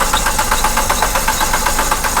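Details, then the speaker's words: Hyundai i20 diesel: fuel pump cleaned, runs on bypass line but on normal fuel line cranks fast and evenly, about 8-9 pulses a second, never fires; HP pump and IMV valve OK, suspected fuel pump side leak or filter assembly. Cranks, won't start. "तो crank ले रही है, start नहीं हो रही है।"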